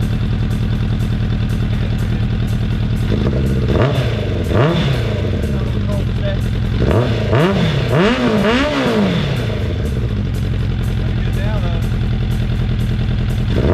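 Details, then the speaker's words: 2004 Suzuki Katana 750 under restoration, with D&D aftermarket exhaust and repainted headers: smooth idle with a few clean throttle blips that rise and fall freely, loud exhaust note. Healthy four-cylinder running normally. "it's old school but man it sounds nice especially for 750 katana wasn't expecting that"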